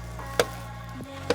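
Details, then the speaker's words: Tesla (Model 3/Model Y fix) door, second side before repair: sharp creaks and clicks with short groaning slide as the door moves, worse on this side; loose hinge bolt, fixed by loosening, pushing the part down and retightening. "oh, it's pretty much worse on this side. This is the only sound that actually, that annoying sound that Tesla is making."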